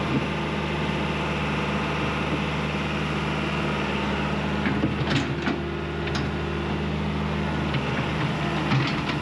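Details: John Deere 190E excavator diesel with 7,706 hours on the meter, manual throttle just adjusted, on a digging test: a steady low drone under even load with a few light clicks over it, running smoothly and healthy.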